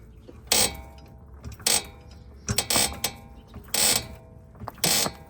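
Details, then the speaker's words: 2007 Ford Territory AWD, 165,000 km, front suspension loaded with a jack giving loud rubbery squeaks and creaks about once a second on one side; owner hopes it's the control arm, not the steering rack. "It is making a lot of noise on this side when I jack it."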